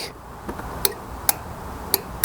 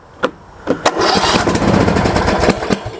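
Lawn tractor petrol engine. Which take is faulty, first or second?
second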